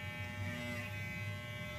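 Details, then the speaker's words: Wahl Super Taper hair clipper after repair of a heat-softened plastic part that had caused rattling; run: steady even buzz, constant low hum, no rattle or whine; runs smooth and quiet. "Suwabing na andar guys. Tapos basta yun guys, okay na siya guys, hindi na siya maingay."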